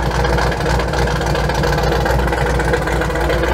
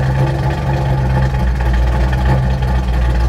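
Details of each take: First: Truck V8 with Holley Sniper EFI after loading the learned base fuel table: idle still hunting between about 850 and 900 rpm, air-fuel ratio now right and less rich; lumpy drifting idle with a faint puffing rasp, possibly from a remaining exhaust leak. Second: Truck V8 with Holley Sniper EFI and progressive linkage after tuning for low vacuum and rich mixture: idle bumped to 900 rpm, idle timing about 22 degrees; deep, even idle that holds steady without stumbling or hunting, running cleanly.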